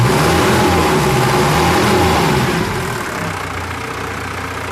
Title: W123 OM601 - First start after engine change